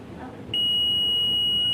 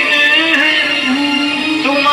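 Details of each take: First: CRT colour TV with crackling, distorted sound but good picture: a steady high continuity beep on the audio input pin shows it is shorted to ground, so the audio section is shorted. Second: CRT colour TV with a China kit after repair of a distorted, crackling, humming sound fault (picture was fine): music now plays clean and steady with no crackle or dropouts, and the audio output works normally.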